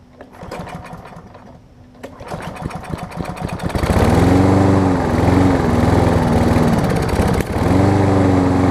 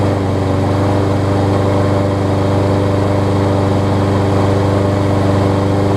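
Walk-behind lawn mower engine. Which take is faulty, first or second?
first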